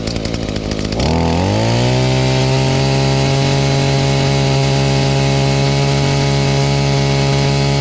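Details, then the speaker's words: Echo SRM-230 two-stroke trimmer after new carburetor and clean-up: primer bulb barely fills with fuel, yet it pulls over, catches quickly and holds a steady, even buzz without surging or stumbling; normal running. "It's just barely got some fuel on there, but it seems to run fine."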